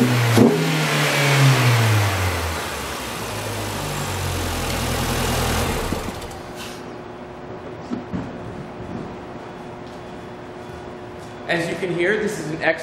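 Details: 2006 Mini Cooper, 1.6 L engine, about 55,000 miles, five-speed manual, front-end damage, being parted out: catches, revs up and falls back smoothly, then settles into a steady, even idle with no knocks or misses. The engine runs healthy.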